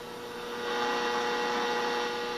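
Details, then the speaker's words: Radio powered from an AC adapter giving a steady low buzzing hum, around 500 cycles, which gets worse with AFC switched off. Poor supply filtering is suspected, and the owner plans to clip in electrolytic capacitors or build a dedicated supply. "Now right now it's on AFC, and if I turn it off AFC, the hum is even worse."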